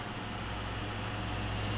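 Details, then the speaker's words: Coleman Powermate 800 W inverter, recovered from a chicken coop, after a replacement power switch was installed: cooling fan spins up with a steady low hum and even airy rush; zero voltage drop across the closed switch; normal fan run. "you can hear that fan spin up and the voltage drop across the two switch terminals is zero as it should be"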